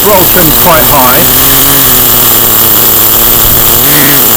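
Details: Acme Condor Pro A3001T 1/10 nitro RC buggy, circa 2002–2005, unrun for almost 20 years, engine preheated, a bit of throttle trim added: steady high even buzz picking up briefly on throttle, runs cleanly with no misfire.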